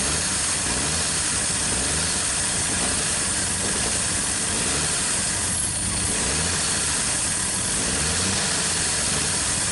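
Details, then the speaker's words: 1959 Chevrolet Apache, first start in years after long cranking: steady, fast, hissy idle that never drops back; carburetor throttle not closing, stuck open or fast-idle fault. "an issue with the carburetor. For some reason it's not closing up. It's either wide open or something ain't right."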